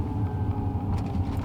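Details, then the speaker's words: Used BMW M5 that had no problems for two years ran fine, then suddenly started up super rough: a deep, uneven, lumpy idle. Owner suspects O2 sensors and later a low battery; cause unconfirmed. "It was doing fine, running fine, and then it started up super rough just now. And I don't know if you can hear that. Something is definitely not right."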